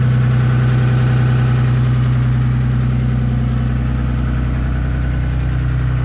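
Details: Ram Cummins 6.7 diesel, plugged in, warming up in 30-degree weather at high idle around 1100 rpm with exhaust brake on, recorded outside; strong even drone with faint whistle. Normal high idle.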